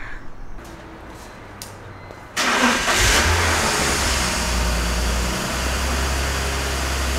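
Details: Car after full cooling system work and vacuum-leak repairs: quick crank, catches cleanly with a short rev, then settles into a steady, even idle with no misses or knocks; healthy start, though mounts and steering parts are still due.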